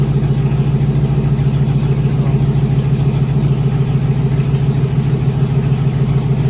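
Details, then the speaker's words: 2001 GMC Sierra 1500 HD V8 after the injectors were cleaned again, fuel system primed: even, regular idle pulse with no stumbles or skipped beats; check-engine light not flashing, no misfire showing for now; normal idle. "The engine light is not flashing, so that means it is not showing a misfire. I think for right now it might be clear."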